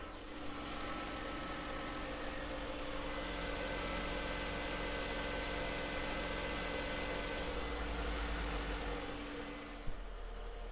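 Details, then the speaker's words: 1994 Mercedes C280 just after its original 27-year-old EGR valve was replaced, with the air intake and mass air flow sensor refitted and a new air filter: quiet, steady, even idle hum with no misses, knocks or hunting; normal idle. "so now i'm just gonna listen to the engine and see how it's running and i'll let you listen for yourself as well"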